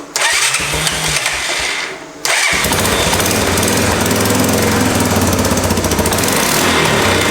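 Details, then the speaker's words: 1988 Honda 4x4 ATV first start after cleaning the carburetor and fitting a new CDI box: single cylinder catches and idles with a sharp puffing tick on every firing pulse; exhaust leak. "Got an exhaust leak. That's awesome! It already runs!"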